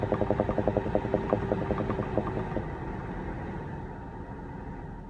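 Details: 2016 BMW X5 F15 at idle: quick popping bursts, about two or three a second, fading after a couple of seconds; bubbling/popping noise, cause unclear.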